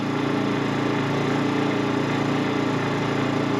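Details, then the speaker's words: WEN 56235i inverter generator in Eco Mode at about 3500 rpm, powering one rear tire warmer drawing about 560 W, heard from 10 ft: steady, even mid-pitched drone without knocks, surging or hunting; normal running under light load. "this is Eco Mode one warmer plugged in this is the rear warmer about 560 WTS a draw 3500 RPM"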